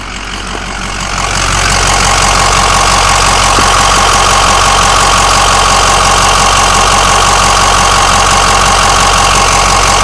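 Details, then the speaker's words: New remanufactured Ford 6.0L diesel longblock with suspected head gasket leak and heavy blow-by: steady idle with a sharp, regular clicking knock, about three or four a second, on top of the engine; cause unclear. "significant clicking and knocking that i can't hear on uh any other 6.0 i'll go ahead and show you uh these symptoms"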